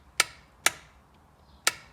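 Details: Jet ski, plugs out, battery 12.7 V: four sharp, dry clicks at uneven gaps with no cranking; starter not turning the engine, likely a loose battery earth connection needing tightening.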